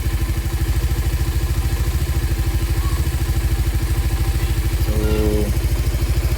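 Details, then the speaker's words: Raider 150 Fi on a stock ECU taken from another motorcycle, warm engine: even, steady idle thump with no misses or knocks; clutch side slightly noisy when the lever is released, quiet when pulled, otherwise healthy idle. "Pagka binitawan ko medyo maingay lang, pero goods naman. Ayan yung minor niya, diba? Steady."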